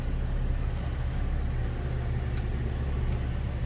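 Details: 2006 Ford Econoline E-450 flatbed, 6.8L V10, automatic with overdrive, 131,784 miles, idling, heard from the cab: steady, deep idle with no misses, taps or whine; no warning lights, smooth, healthy idle.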